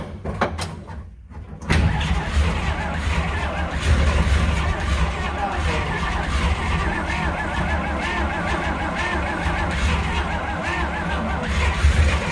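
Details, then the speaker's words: 1950 Dodge B2B truck parked since 1978, first start attempt: slow uneven cranking nearly catching a few times then falling back; fires weakly but never runs, backfires next, ether tried since it seems to need one more kick. "Oh, it's so close. Come on, you can do it."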